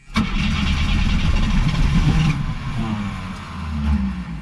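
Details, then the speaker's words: AMC car, one owner, 42,000 miles, sat for years, two-barrel carburetor with choke: engine spins over with uneven chuffing and brief sputters that never catch; long crank, no start, sounds like it's getting flooded. "sounds like it's getting flooded"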